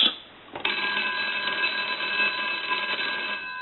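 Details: GPO P&T 606 rotary dial telephone from Ireland, final checkout after repair and conversion: bright, even double-gong ring sustaining about three seconds, no buzz or rattle; bells healthy.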